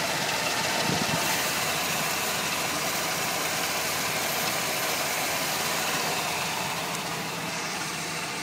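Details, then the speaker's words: 1985 Pontiac Parisienne Brougham, 305 small-block V8, recently out of storage with new fuel and air filters: steady, even idle with a smooth rapid beat and no misses or stumbles; running cleanly, normal idle. "so yeah this car is running pretty good and looks good"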